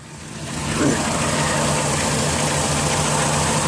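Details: 2007 Dodge Grand Caravan wheelchair van, 3.8 V6, 67k miles, hood open: smooth idle with a low constant rumble, no squeal, knock or misfire; no leaks, smoke or check engine light; normal idle.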